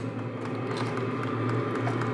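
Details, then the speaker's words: Portable diesel heater for a rooftop tent, starting up: the steady low hum of the fan with faint regular ticks over it, the fuel pump clicking normally. "and you can hear it clicking let me get quiet for a minute so you can hear it that is the fuel pump"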